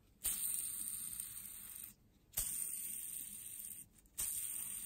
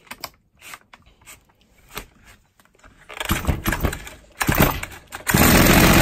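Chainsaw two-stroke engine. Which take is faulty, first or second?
first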